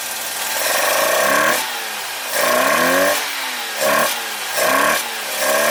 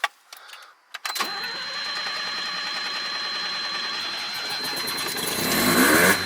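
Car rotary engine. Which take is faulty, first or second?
first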